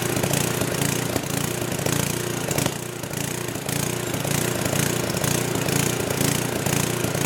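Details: Old 10hp gasoline generator converted to propane/LPG using only the regulator of a cheap eBay aftermarket carb kit, choke open; speed rises and falls about twice a second in a galloping rhythm with occasional backfire pops; owner suspects it isn't drawing enough fuel.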